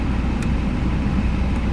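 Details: 2005 Jaguar X-Type after immobiliser relearn, restarted instantly with no warning lights: smooth, even low idle with steady rumble, no misses, knocks or rattles; engine sounds tidy, normal idle.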